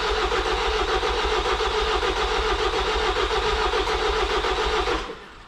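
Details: Ford Transit 2.0 EcoBlue diesel after a wet timing belt failure, jump-boosted because it cranked slowly: steady starter cranking for five seconds with no catch or fire, then it stops; a no-start.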